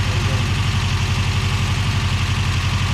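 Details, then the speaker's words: Subaru Brat after an engine swap (previous engine had a blown head gasket and rod knock): flat-four idles with steady even low pulse, no knocking, much better than before. "yeah that sounds a lot better than that other one huh yeah all the other was knocking if you didn't hear the other one"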